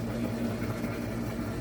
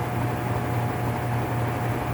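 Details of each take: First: Whirlpool top-load washer (model 110…) with a complaint of grinding when the motor runs, tested in diagnostic mode. After the shifter moves, the motor agitates with a low, even hum and no grinding or scraping. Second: Whirlpool top-load washer (model 110…) with grinding complaint when motor runs, in manual-test high spin: steady low drone with rough, gritty growl; worn transmission gear assembly needing replacement.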